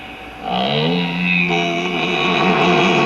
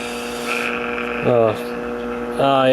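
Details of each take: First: 1951 Stromberg Carlson C1 tube clock radio after a hum fault was traced to a 12BA6 tube with a suspected heater-to-cathode short and that tube was replaced: clean, steady playback of voice and music with no hum or crackle. It receives stations clearly. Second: 1951 Stromberg Carlson C1 tube clock radio: steady low buzzing hum with warbling swells when tube disturbed; likely a microphonic heater-to-cathode short in the 12BA6 IF tube, to be replaced.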